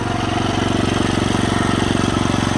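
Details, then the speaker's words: Rebuilt Kohler K91 single-cylinder engine after carburetor adjustment and ~20 minutes running: quick even idle putter with light tapping each beat; valve tick present but runs really good; head gasket still junk. "Highly impressed. Did not think it would run as good as it does. It does have valve kick, but that's fine."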